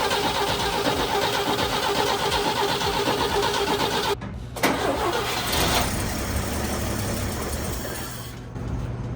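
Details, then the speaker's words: 1960 Chevy C10 Apache barn find, 78,000 miles, first start after a new fuel filter on a jump box: starter spins, engine catches and settles into an even, smooth idle with no weird noises; motor sounds healthy. "But actually the motor sounds really healthy. You hear no weird noises or anything. It seemed to run pretty smooth."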